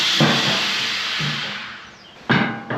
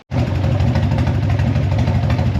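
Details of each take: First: Harley-Davidson Evo 1340 Heritage that ran faultlessly on an 800 km ride, then sat about two weeks: after two failed cranks the V-twin fires and runs lumpy and uneven, rough running of unknown cause. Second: Harley-Davidson Evo 1340 Heritage after the idle was raised, warmed up a little with the choke off: a deep, steady potato-potato beat with no misses or stumbles, normal idle.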